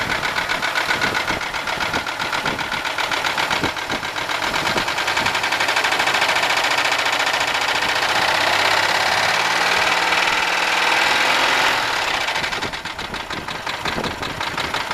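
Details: 1995 Buick LeSabre 3.8 V6 idling with a steady light knock, three to four taps a second, also heard at the tailpipe, seeming to come from the left side; owner suspects valvetrain knock, not confirmed.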